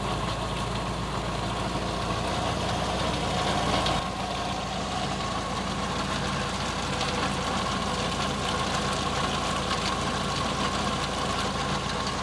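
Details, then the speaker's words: Geo Metro boneyard car warming up after a 20°F February cold start, sat 4-6 months: small engine idles with an even putter that settles slightly after a few seconds; healthy cold idle. "Metros are running, and we're going to work on the next car back."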